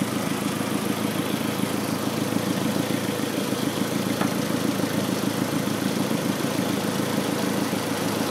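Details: B6 petrol engine idling with an uneven, lumpy beat about twice a second and a faint stumble; rough idle smooths out after unhooking the secondary air injection tube, cause not confirmed.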